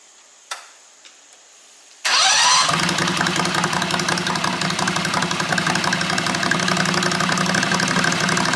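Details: Predator 670 V-twin on a John Deere 214 mud mower, whose muffler had been catching fire. Cold start with only packing in the muffler, no baffle. It catches immediately, then idles harsh, loud and crackling. Loud exhaust with the baffle removed.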